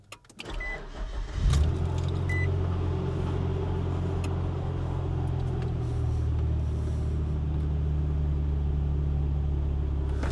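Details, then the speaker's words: 2002 Nissan Xterra started after the bad distributor, the suspected stalling cause, was replaced: a brief crank, then a steady, even low idle that keeps running without stumbling or dying. The idle is smoother than before; normal idle. "It runs. And it would have died by now if I was trying to run it the other day. So I think that's the problem."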